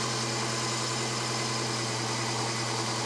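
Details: Volvo 240 after its MOT, engine hot: steady even idle sitting fast, about 1200 rpm instead of the 800–900 target, smelling a little rich; idle set too high, being adjusted at the top idle adjustment screw.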